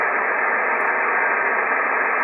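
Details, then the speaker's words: Icom IC-7300 receiver with the antenna fully disconnected and RF gain at maximum: a loud, steady hiss with no signal. This internal noise is unaffected by lowering the RF gain or by attenuator settings; cause unknown. "that's the noise that you hear and uh the the the weird thing is that uh this noise is not affected by any reduction in the in the RF game"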